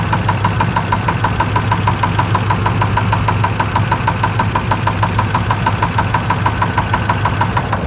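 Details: Chevrolet Suburban 5.7L V8 started after sitting a few months, fluids checked, fresh gas: within seconds a crisp regular knock about three times a second at idle over clear engine hum; knock or tick, cause unknown.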